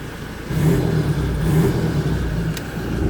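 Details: Toyota Hi-Lux restarted to confirm the fix for a no crank, no start caused by a ground connection lost during repainting: engine picks up and holds a steady low drone, no misses or knocks; healthy running after repair.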